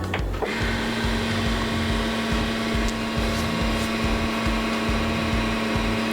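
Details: Keurig K-Compact coffee maker brewing a K-cup pod on the large cup size, after the initial line flush. Steady low pump hum with a soft pulsing beat a little over two per second throughout; normal brewing.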